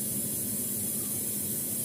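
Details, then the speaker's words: Semi-inverter refrigerator powered up for testing: steady, even hum with soft airy rush as the condenser fan motor starts, showing the compressor is running; no knocks or rattles, normal operation. "Ya, ini fan motor sudah bekerja, artinya kompresor sudah aktif."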